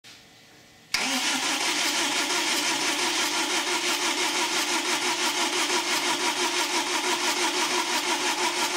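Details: Newly rebuilt BMW 320d M47 diesel cranks steadily at about three beats per second for eight seconds but never fires, smoke coming from the injectors; stored fault includes glow plug cylinder 1 control.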